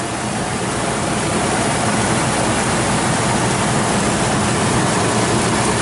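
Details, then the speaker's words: 2007 Four Winds Class C motorhome, Triton V10, 19,622 miles, engine bay idling: steady, even rumble with no exhaust-manifold leaks. The only extra noise is a loose tag flapping underneath. Normal idle, no trouble codes. "No major exhaust leaks that you can hear in the exhaust manifold. What you can hear is a little flap of a tag down there."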